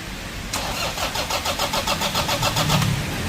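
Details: Toyota diesel after valve cover gasket oil leak repair with genuine parts and 7-litre oil change, belt and bearing work; quick crank catches in under a second, even idle pulse, no knocks or misses. Normal start and idle.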